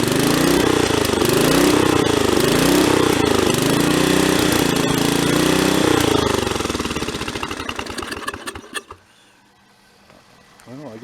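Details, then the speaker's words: Mid-1980s Snapper rear-engine rider, 11 hp Briggs & Stratton industrial L-head single, parked outdoors four years: runs with thumps and surging speed before dying; cleaned carburetor badly corroded, still needs work; rough running, corroded carburetor. "it does run carburetor needs to be doctored on just a little bit more i think i cleaned it as thoroughly as i could but i don't think that it's gonna work all that good cause it was corroded bad"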